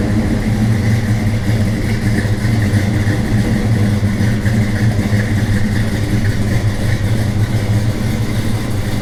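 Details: 1978 Chevy C10 carbureted V8: deep, lumpy burble holding a steady idle with no knocks or ticks; owner says the carburetor still needs adjusting, maybe slightly rich; normal idle.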